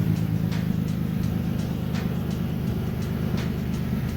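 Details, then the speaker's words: Idling car after new eBay test pipes and Y-pipe, heard from underneath: sharp puffing ticks about three a second over the rumble; exhaust leak at the beginning of the test pipes, gases felt pushing out the top. "what it sounds like to me is that it's coming from the beginning. Yep, and if you put your hand by the where the exhaust leak is coming from, you should be able to feel exhaust gases pushing out."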